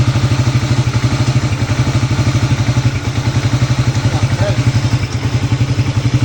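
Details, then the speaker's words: CG150 pushrod single-cylinder motorcycle after replacing the camshaft and both gears, worn from poor oil: steady, even thump about four beats a second with no tapping or clatter; cam noise fixed, clean idle. "que con la leva nueva y ambos piñones nuevos ya no puede haber el ruido todo está solucionado"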